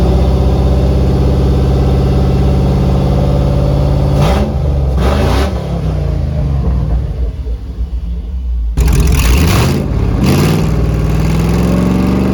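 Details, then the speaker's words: 2004 Chevy box truck V8 after a $69 fix restored firing on a dead cylinder: smooth, even idle with two clean throttle blips rising and falling quickly, all cylinders pulling evenly, no stumble. "oh that's a relief okay that is a massive massive relief $69 fix I'll take it"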